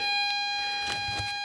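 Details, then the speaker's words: LM386N 0.5 W audio amplifier at maximum 200x gain, 9 V supply, loudspeaker output. A constant piercing whistle near 800 Hz then cuts off abruptly. Parasitic oscillation is confirmed on the oscilloscope. "and you'll hear that annoying sound on the background it's nine volts now here here is my oscilloscope that's connected to the loudspeaker and you can surely see that there are oscillations in that circuit"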